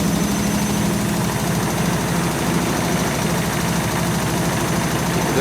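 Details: German washing machine on fast spin after repaired dampers were fitted, with the cushions removed. It stands on four feet on linoleum, mid-bathroom. Heavy rhythmic drumming of about three beats a second: vibration persists, but the machine stays put; the owner rates the damper result about 3+/4-.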